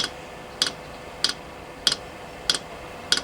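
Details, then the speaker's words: Chinese diesel heater dosing pump priming a blend of 10W30 engine oil and diesel through the long fuel line: crisp, evenly spaced ticks at about 95 a minute. The pump is metering the mixture normally. "so it is in fact going to pump it yeah if we just wired up a bit she's running on our our mixture we just made definitely pumping it in now"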